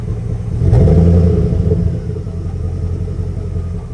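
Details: High-mileage Chevrolet Express/GMC Savana V8 work van: a quick blip, then a deep lumpy idle stumbling unevenly instead of a smooth burble, like one cylinder not firing. Engine misfire.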